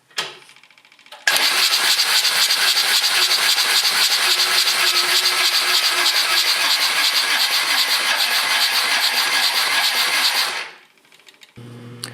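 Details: John Deere 755 diesel that used to start: starter cranks evenly, about three to four strokes a second for nine seconds, never fires; owner suspects low compression (about 150-230 psi measured) and no fuel to injector two.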